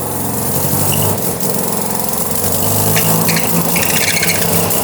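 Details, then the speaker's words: Mazda RX-7 rotary running E85, start with new fuel filter and replaced fuel hoses: buzzy, busy idle that settles and holds steady without stumbling; no leaks, engine running normally. "officially done, ready. It starts up, it is ready to come home, and this is crazy."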